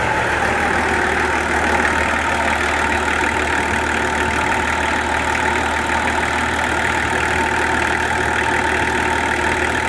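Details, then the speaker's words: Nissan LD28 diesel first running after starter repair and bleeding air from the fuel line: steady, even idle clatter with no misses or knocks; engine sounds healthy, compression good. "Not only is that running now, but it sounds good. It sounds like a good engine."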